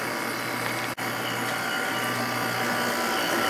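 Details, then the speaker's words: Sharp window air conditioner, one of two identical units, spring startup; even steady hum with constant low drone, no rattles or surges; normal running. "So let's go ahead and start it up. I love the way these air conditioners sound."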